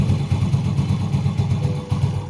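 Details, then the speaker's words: Yamaha Vega R motorcycle in gear after replacing worn clutch one-way bushing set and a loose rubber part: even putter with no grinding; friction noise in clutch housing when in gear is gone. "Oke jadi untuk suara gesekan itu sudah sembuh ya sudah hilang"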